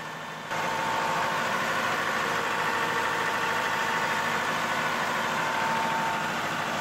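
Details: Perkins diesel generator set: the engine catches and settles into a steady, even run at constant speed with no misses or knocking, running fine.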